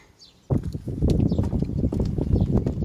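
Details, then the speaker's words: Car front suspension: rapid uneven hollow knocks from a damaged strut mount (coxim), shock absorber fine with no leak; noise sometimes stops over holes; fix is replacing the strut mount. "guys Can you hear the noise? it's the pad that's damaged shock absorber is OK"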